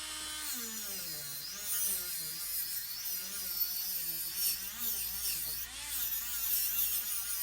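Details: Small rotary tool polishing silverware with a 2500-grit wheel: a thin high-pitched whine that dips and recovers as the wheel bites, while the motor keeps its speed. Ample torque; normal running under load.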